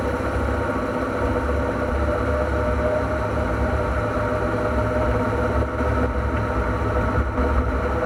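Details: NP231J transfer case (post-1997) making noise, a steady low drone with a thin constant tone riding above it; cause to be found on teardown.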